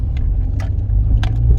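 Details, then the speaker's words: Rover 45 (MG-badged) driven over speed bumps after a motorway trip: steady low road rumble and engine drone, only faint light ticks, no heavy knock or clonk; no suspension clonk, engine sounds sweet. "No clonk there. Listen to the engine. Engine sounds sweet."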